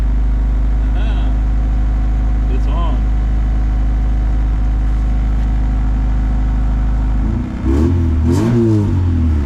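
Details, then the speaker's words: 1990 Honda CRX Si, first start after upgrade work including an Si gauge cluster: steady low drone and even idle, then a short rev near the end; starts and runs normally. "Well guys, it's alive."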